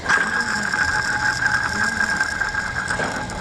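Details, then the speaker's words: Craftsman T110 mower deck spindle spun by hand: harsh rough grinding roar with ratcheting rattle throughout; spindle bearing worn out, replaced with a new spindle. "she's just roaring like crazy so that bearing is gone"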